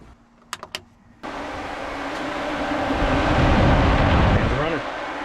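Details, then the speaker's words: 1973 Chevy C20, two cheap 12-inch electric fans on relays, triggered by a push-button switch from a fog-light harness: a couple of relay clicks, then a steady whoosh swells and holds as both fans run normally. "Fans are running."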